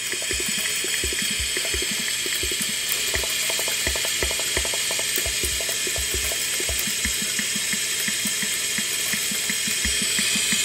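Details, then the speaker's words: Portable drum machine, reused as a tube amplifier, powered into a speaker: loud constant hiss over a ticking drum pattern near three beats a second; after checking the tubes, the hiss seems to come from the unit itself, the amplifier just amplifying it. "hook up first speaker it does turning on now hissing noise but I think it's coming from here"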